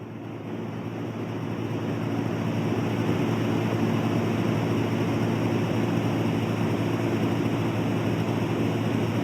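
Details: LectroFan Micro white noise machine: deep rumbling noise on the lower-frequency white noise settings, with a steady low buzz from the speaker running underneath it.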